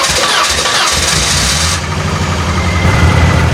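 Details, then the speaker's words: 2001 Saturn SC2 with rough running and power loss, just after fuel filter change (tune-up and gas dryer had no effect); cranks and catches into an uneven, lumpy, wavering idle: still running rough, cause not found. "As you can hear, Katrina is running. She's still running rough though. I don't like that."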